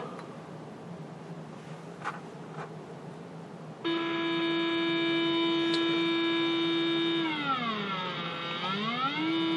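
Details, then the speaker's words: Late-1940s RCA 8R71 AM/FM radio with a clean sine wave injected into the phono input: a hum, then a harsh, buzzy, sweeping tone. Distortion lies somewhere in the audio chain between the phono input, volume/tone controls and 6V6 output. "I think we know what our source of distortion is it's somewhere in the audio chain"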